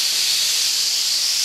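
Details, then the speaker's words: Steam boiler safety valve being set. It lifts cleanly over the injector at 120 psi but keeps venting down to about 80 psi, a steady loud hiss that doesn't cut off. Excessive blowdown, still being adjusted. "it pops all beautifully over the injector now it's really popping off now I got to I'm still adjusting it now I popped off 120 now it's 80 so that's way"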